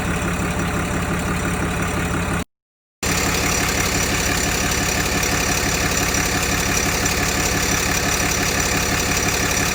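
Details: 2012 Dodge Ram 2500 Cummins diesel at idle: a busy, uneven rattle of about three beats a second over the idle; owner guesses an accessory on the serpentine belt, source unconfirmed.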